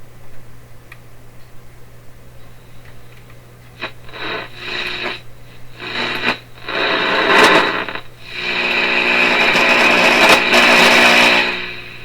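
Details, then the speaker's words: Canadian Marconi Model 93 radio during AM RF alignment, tuned near 580 with the signal generator on the antenna: steady low hum under rising bursts of hiss and crackle; heavy interference, very sensitive front end. "lots of interference coming in there. Wow, that's really, really sensitive."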